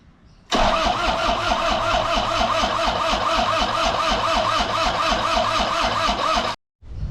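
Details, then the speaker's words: Toyota Hilux 1KZ diesel after engine rebuild, head just refitted, oil and coolant filled, cranked without fuel to circulate oil on a weak battery: starter spins for six seconds with an even chug of about three compressions a second, no firing; healthy crank. "So, dead battery, but maybe we'll just get some oil running around without fuel, then try some fuel and see if um she starts."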